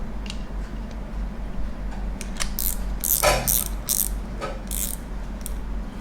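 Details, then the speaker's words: Daiwa Revros LT 4000/6000H (2019/2020) spinning reel during clicker repair, spring not yet adjusted enough: spool turning gives only sparse, faint irregular ticks over a low hum. Finding: weak reel clicker. "อันนี้ยังไม่มานะครับเสียงเบาๆนะนะม.คมีเสียงเบานะครับ"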